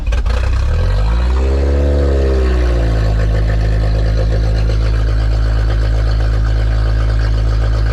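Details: K20-swapped Honda EF sedan after injector fix, finally running under own power, before alternator charging check: cranks, catches and blips up, then settles into a steady, even idle with loud deep exhaust; healthy.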